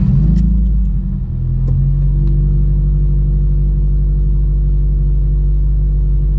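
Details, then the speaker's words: Subaru WRX FA20DIT, speed-density tune, cold start after replacing cylinder 3 spark plug and disconnecting battery: low uneven idle with faint stumble, five misfire counts on cylinder 3 (P0303); oil found on that plug, owner suspects internal issue. "so there was a five count on cylinder three i'm gonna let it warm up and uh see if anything else comes back"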